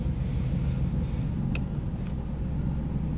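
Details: Mercedes W140 500SEL V8 just after start-up: deep, lumpy idle with an uneven low rumble, a very rough idle; the car also seems in limp mode with no power, fuel economy gauge at zero, and heavy fuel use; cause unknown.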